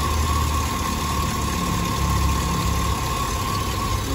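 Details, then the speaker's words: Cadillac Escalade 6.0 LS V8 after water pump and a loose pulley were replaced and coolant topped off; smooth, even idle with a steady low hum and no knocks, squeals or wobble from the front of the engine; running normally. "now she's running good not making any weird noises that water pump ain't moving all over the place with the rubber soil wobbling everywhere"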